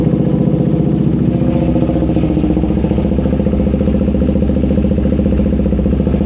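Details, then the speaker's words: KTM Duke 390 V2 that sat unused over a month and wouldn't start because the fuel pump stopped priming; after tapping the stuck pump it idles with a steady, even putter, no stumbles; check engine light showing. "Okay na yan. Naandar na. So yung problema lang is yung kanyang fuel pump."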